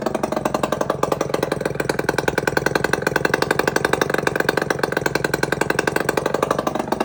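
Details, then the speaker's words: 1999 RS50 two-stroke, hard starting, with the battery dead, run with the exhaust off: a crackly, rapid, uneven beat on light throttle that won't settle to idle. Owner suspects the missing carburetor idle adjust screw. "I'm missing the idle adjust screw on this carburetor so I'm gonna try and find one and uh we'll see if that could fix my idling problem"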